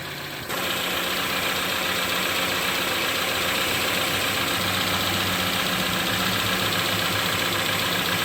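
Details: 2011-2015 Chevy Cruze 1.8L after timing cover, gasket and water pump replacement for oil in coolant, burning off spilled oil: steady even idle, smooth unchanging hum, no knocks or misses; normal.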